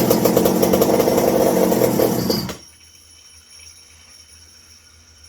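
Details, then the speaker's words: McCulloch 790 (MC101) small two-stroke engine after an exhaust stud repair, Walbro WB37 intake and carb fitted and fuel tank relocated, nothing in the tank. It fires and idles with a steady even burble for about two seconds, then cuts out cleanly. No runaway; the idle would sound healthy if it got consistent fuel. "No runaway. If it was getting consistent fuel, the idle sounds good."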